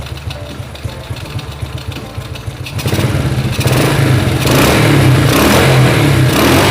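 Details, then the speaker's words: Motorcycle after a loose, noisy timing chain was fixed by fitting a Honda S90 timing chain rubber: the engine catches and revs cleanly, smooth with no chain rattle or ticking. "Suara mesinnya lebih halus, teman-teman. Setelah saya mengganti karet rantai timing dari Honda S90."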